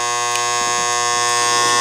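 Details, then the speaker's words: Pinball machine lock relay with a new coil fitted (old coil's plastic broken). The energized relay gives a loud, steady, harsh buzz at constant pitch as the worn split core and armature chatter at mains frequency. Moving the armature quiets it somewhat. "what happens is this Armature as this part this actually moves right now it's on so this coil is become an electromagnet sucking this Armature in up against it"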